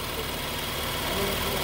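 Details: 2013 BMW X5 3.0 xDrive that was shutting off while driving and hard to start, after adding an engine-to-transmission ground strap: short steady even idle hum with no misses, knocks or stumbles; engine running normally.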